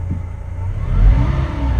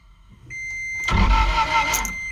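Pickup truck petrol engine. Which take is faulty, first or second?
second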